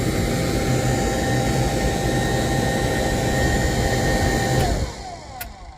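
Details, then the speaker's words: New Holland T6.175 tractor cab blower fan after replacement on high: steady rushing airflow with smooth motor hum, no rattles or squeals, until switched off; air through all vents. Normal blower operation. "Ho ho, it works. How about that? Can you hear it? That's high. And we got air coming through all our vents."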